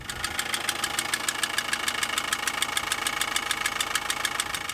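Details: Vehicle on an outback trip: a sharp, even ticking knock of about 200 per minute over idle, in time with the engine, not from the alternator or water pump; caused by damaged fuel injection pump mounting bolts.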